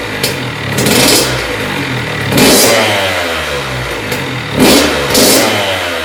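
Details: 2001 Honda CR80 two-stroke after cylinder head, studs and gasket repair for a head coolant leak; no leaks from head bolts or hoses. Raspy buzz climbs and falls cleanly through several throttle blips, no knocking or bogging; normal revving.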